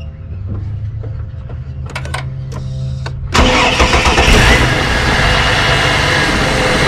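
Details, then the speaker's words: 2005 Ford Territory Ghia after service with 7 L oil added (previously ran low on oil, noisy): short crank, clean start into even quiet idle, no knocks or rattles; broken-bearing-like vibration gone. "Now you can't hear nothing at all. No more vibration from that broken bearing effect to the engine now."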